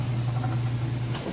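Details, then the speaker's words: Whirlpool Ultimate Care Super Capacity Plus top-load washer, full heavy load, final spin at about full speed: steady low drum hum, no thumping or scraping, not off balance or wobbly; normal spin. "It's not off balance or wobbly or anything like that, and there's no weird noises."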